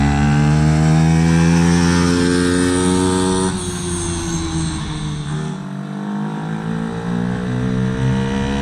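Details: Dumpster-found Chinese 48cc quad with new fuel lines, started by jumping the starter solenoid since the key is disconnected: even buzz, pitch climbing and dropping cleanly with each throttle blip, no misses or knocks; runs healthy.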